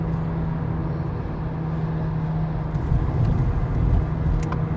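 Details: Skoda Octavia A7 driving: steady low droning hum like a jet under the road noise, pitch rising with speed; worn wheel bearing hum.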